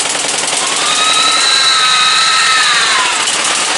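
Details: Briggs & Stratton 17.5 OHV single-cylinder lawnmower engine, muffler fitted, bottle-fed fuel, on a substitute carburetor; pounds hard, revs swelling then sagging instead of holding steady; carburetor judged junk, other carburetor to be refitted.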